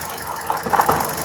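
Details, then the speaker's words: Car with check-engine light flashing and rough running: uneven idle with irregular stumbling pulses; swapping coil 4 into cylinder 3 moved the misfire, so that ignition coil is faulty and needs replacing. "هنا طبعاً لما رفعنا رقم أربعة اللي كان راكب في رقم ثلاثة الرجة زادت فمعنى كده إن المشكلة كلها هنا في الكويل الكويل ده كده خربان محتاج يتغير"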